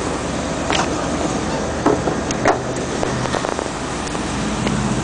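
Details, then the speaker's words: 1996 step van with GM V8 under a front-lifting hood: even, low V8 idle rumble holding a steady rhythm with no misses or knocks, under outdoor noise; the motor sounds healthy. "it has one of the hoods the whole front end lifts up pretty interesting yeah the motor sounds good"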